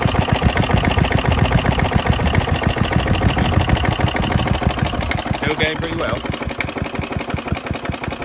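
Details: Very worn 1972 Hayterette mower, hundreds of hours last year, cold start after six-seven months stored on old fuel topped with fresh: steady low thudding beat, about four firing pulses a second, even throughout; hard to start but runs strong once going.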